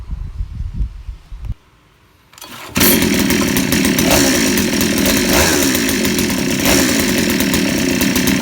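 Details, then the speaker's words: 63cc saw engine just fitted with an aftermarket carburetor, a light-pull starter and a stock coil, first run after the choke is opened: a loud, rough high rev with a burbly, blubbering edge shows it is running rich, so the mixture screw is turned leaner half a turn. "หน่อยงานแล้วหน่อยถ้าเพื่อนๆแล้วนะแบบนี้นะครับคือน้ำมันเข้าเยอะผมจะลดเฮ็ดลงนะครับอีกครึ่งรอบครับ"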